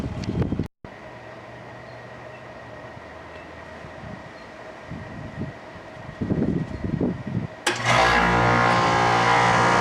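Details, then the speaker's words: Rheem Classic central air conditioner, first startup of 2016 on a warm day, heard from a distance: quiet, then compressor and fan come on and settle into a steady, even hum with no rattles; healthy start, cools fine. "I couldn't quite tell exactly because I wasn't near it, but I did sort of hear the start up and it sounded absolutely golden to me from where I was. So, it looks like that one works pretty nicely."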